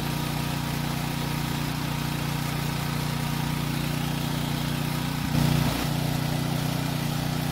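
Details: Generator that ran only on choke: steady even drone, brief surge as load shifts then settles smoothly; normal running under load.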